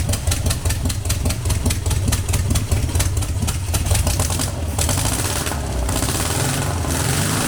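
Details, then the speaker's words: Long-dormant 1200 VW Beetle air-cooled engine on a test stand after freeing a stuck lifter, no parts replaced; uneven cranking beats give way to a steadier, fuller low idle with continuous exhaust rumble; normal running. "much better right that's brilliant"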